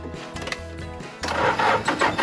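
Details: Restored 1978 Toyota FJ40 Land Cruiser diesel, glow plugs tried before starting: slow starter cranking, then the engine catches and settles into an uneven but running idle; normal start.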